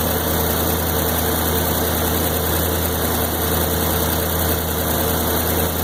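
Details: 1993 Corvette LT1, 42,000 miles: V8 idle with low, uneven lumpy beat over a steady drone; stutters at idle and around town but pulls fine; a new part tried with same result, cause not found.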